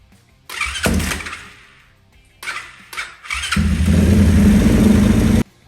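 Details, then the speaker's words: 2020 Orion RXB 150 pit bike, weak battery on charge, starts much better after a valve adjustment that had been costing compression; a couple of short cranks, quick catch, then a steady, even single-cylinder idle. "Starts in better now with the valves adjusted. Way better."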